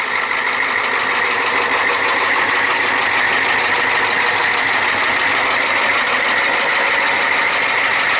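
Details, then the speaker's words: 1994 Ford F350 7.3L IDI diesel, nearly 25 years old, glow plugs just replaced, idling: a loud, sharp rapping knock and banging over the diesel clatter, with severe blow-by and metal-on-metal sounds. A shop suspects a cracked piston or bad rings; ring slap is also possible. "I don't know he can pick up that kind of bang bang bang bang bang bang bang quite a loud knock and banging noise"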